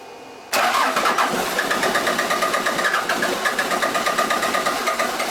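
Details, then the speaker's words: Toyota 3B 3.4-liter naturally aspirated diesel from a 1981 BJ60 Land Cruiser, sitting six or seven years, with air still in the fuel: cranks briefly after glow plugs, catches, and settles into a steady, even idle clatter; running normally. "she started up feed her a few more there's still some air bubbles in here obviously but she's gonna go just like that these three bees never fail"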